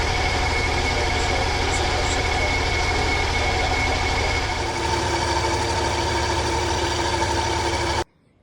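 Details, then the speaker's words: Ford 300 (4.9L) straight-six in an OBS Ford truck idling with the idle air control valve unplugged: uneven, lumpy idle that dips and struggles to stay running; the throttle position sensor tested good. "I also unplugged the idle air control, and it didn't want to run, so."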